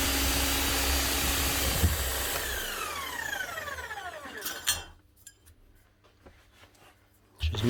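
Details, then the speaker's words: Bosch GSH 11 E demolition hammer, about 25 years old, after repair with two new O-rings and fresh grease: fast, even hammering over a steady motor hum, then a smooth wind-down when released; running properly again. "lovely job that's her up and running again two O-rings some new grease what are be wrong with that"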